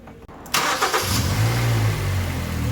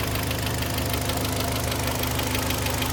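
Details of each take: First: Kia Sportage 3, 122,000 km, warm engine after service (oil change Shell 5W30 to NGN 5W40, throttle and injector cleaning, new oil and air filters): cranks, catches, settles to a smooth even idle; dull metallic knock gone. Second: Kia Sportage 3, 122,000 km, cold engine before service (oil change, throttle and injector flush): dull metallic tapping over the idle hum, steady with engine speed, source not pinned down; knock later gone after oil change, timing chain replacement planned; engine knock on cold start.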